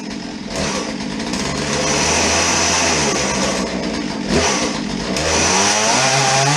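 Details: Chainsaw after draining old fuel (water bubbles, flecks) and refilling with fresh 50:1 premium ethanol-free mix, started on choke; high buzzy two-stroke note climbing and sagging with throttle, never holding idle. Cause not confirmed.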